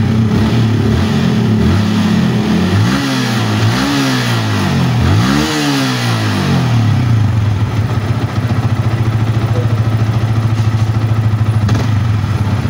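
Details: Yamaha Vixion motorcycle, charging check reading about 13 V, normal: three quick throttle blips rise and fall cleanly, then a steady even idle with no stumble; engine running normally.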